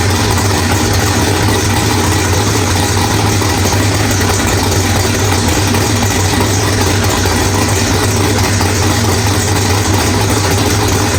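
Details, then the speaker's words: Drag race V8 with a Powerglide, first start after loose flex plate bolts were replaced with a new ATI flex plate and stator, still low on transmission fluid: a steady, even lope with no bellhousing rattle, running rich. Normal idle. "All right, guys. Well, everything sounds really good. Wow, that thing is rich in here."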